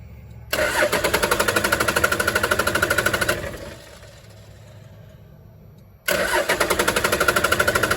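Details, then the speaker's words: 1996 Dodge Ram 2500 Cummins 12-valve diesel that sat 7 years, all six injector lines cracked to bleed: even starter cranking at about three beats a second with no firing. It cranks but won't start because the lines stay bone dry and no fuel reaches the injectors. "we're going to need to bleed them so Neil's going to crank it it wants to start nothing"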